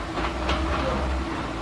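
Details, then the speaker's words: 2015 Chevrolet Onix (Prisma) manual gearbox: quiet at idle and in first, but steady low rumble and rough churning in second through fifth gears; owner unsure whether engine or gearbox; grinding traced to gearbox running low on oil. "Ele reclama aqui na primeira e não faz barulho é mas a segunda terceira e quarta quinta marcha diante é um barulho isso é isso fornecedor na lenta não tem nenhum barulho a segunda"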